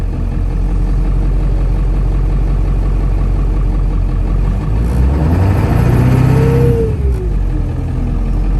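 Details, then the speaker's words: Ford Bronco with 7.3 Powerstroke diesel after fitting a Jones Turbine JT50 muffler, heard from inside the cab with window closed: deep, muffled rumble climbing smoothly on revs and settling, no drone or rasp; much noise from the engine up front; exhaust healthy. "i mean it's a big engine it's a loud engine but a lot of the noises come from right up here it's not really that bad"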